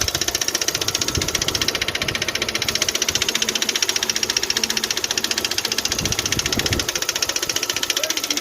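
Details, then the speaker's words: Kia/Hyundai i20 G4FA/G4FC engine at idle: sharp, regular metallic tapping about four per second from the top of the engine, traced to a failed valve guide on cylinder three, with metal found in the combustion chambers. "so the problem it was coming from uh from the head uh the noise it was coming from the uh uh cylinder number three it drove to the valve uh the fall fourth guide"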